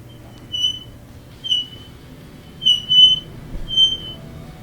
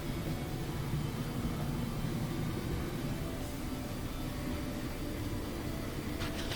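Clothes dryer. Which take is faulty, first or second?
first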